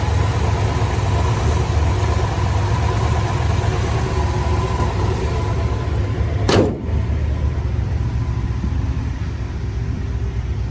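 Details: Restored 1964 Chevrolet Chevelle Malibu SS, original 283 4-barrel V8, Muncie 4-speed, factory AC: deep, steady V8 rumble at idle with no knocks or misses; even, healthy idle throughout.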